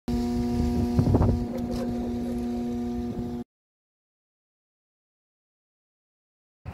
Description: The start of the video show the blower motor humming. The humming noise COULD be the result of a failed blower motor, BUT it could also be a bad capacitor.